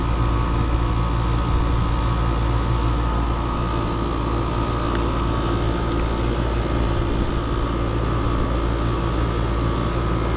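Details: Mobile home AC that was icing up (blower not coming on, very low on Freon) being charged toward about 10 lb at 60°F outdoors: steady low hum with an even faint whir, no rattles or surging. Running normally while charging.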